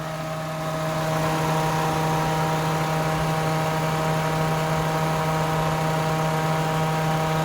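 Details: Toyota 1JZ VVT-i running on petrol (car also runs gas), after new spark plugs, throttle fixes and clearing codes 21 and 24 (O2 and air temperature sensors), at start-up: steady even idle with low hum, no misses.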